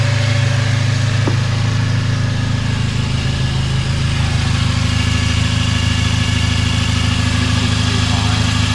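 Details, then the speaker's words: 2003 Chevy Cavalier four-cylinder, stock, first start after work with temporary intake: steady low idle with uneven shaky pulse about three beats a second; engine shakes, owner thinks it needs motor mount, tensioner bouncing, something doesn't sound right. "It's shaking real bad. Not like real bad, but it definitely needs motor mount."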